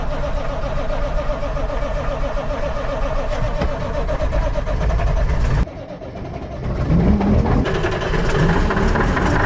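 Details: 1980 K Whopper picker truck diesel just fired up with the throttle to the mat, oil pressure showing; heavy uneven clatter with a stumbling beat that dips and recovers; a rough cold idle.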